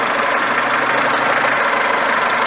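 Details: Renault Megane Classic with a ragged, uneven idle and a busy hiss. Vacuum holds at about 16–18, so a vacuum leak and the EGR valve are ruled out; carbon in the idle air control valve is starving it.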